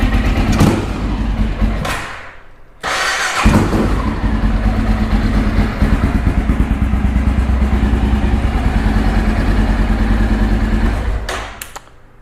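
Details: 2012 Honda XR650L, FMF Q4 exhaust, after valve clearance adjustment for valve ticking: big single thumping at a steady, even idle with no top-end ticking; healthy running.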